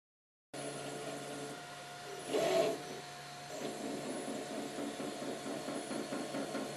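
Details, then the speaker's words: Up! Mini 3D printer laying down the first layers in ABS; steady motor tones with a brief louder rasping burst midway. Owner wonders if the noise comes from setting the Z height slightly too high. Unusual printing noise. "up I'm wondering if that noise is because I've set the Z he a bit too high but it should be okay"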